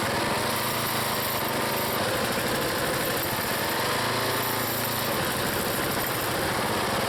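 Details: Small single-cylinder log splitter engine on a cold day, Seafoam added, splitting firewood: steady, even drone with no misses, surging or knocks. The owner once suspected an engine problem, but it runs healthy.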